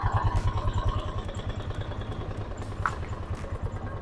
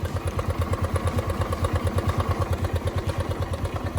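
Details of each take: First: Suzuki Access 125 scooter at idle, before repair: light, fairly regular knock about three per second under the engine note; variator movable drive (roller comb) worn, unchanged for a long time, to be replaced. Variator knock from worn movable drive. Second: Suzuki Access 125 scooter after replacing the long-unchanged worn movable drive, started with the side cover off: even, regular low throb at idle, about three pulses a second, with no rattle or scraping; the earlier running noise is gone.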